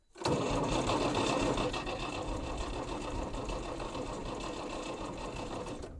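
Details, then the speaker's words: 1964 Farmall 806 diesel, long-sitting: steady, rhythmic starter cranking at a few turns per second, never firing; no fuel at the cracked injector lines, so the owner suspects a bad injection pump. "It would be nice just to hear it sputter once. A sputter would be that'd be all right. I'd take a sputter. Be better than nothing."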